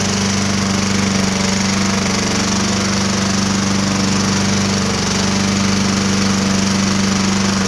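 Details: Small mower engine at steady speed, dull loosely regular knock under the exhaust buzz; suspected rod knock on the bottom end, probably survives another season or more if oil is watched.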